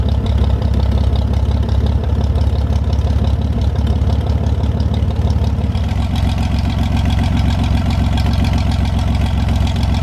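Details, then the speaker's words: 1973 GMC 432ci V6 engine, out of a parted-out truck and sitting unstarted almost five years, run after light prep: low, heavy, even idle beat steadying a little partway, no knocks or misses; normal idle, healthy. "but it's really great to hear this thing run after having it for almost five years now one heck of an engine absolutely love the way these v6s sound"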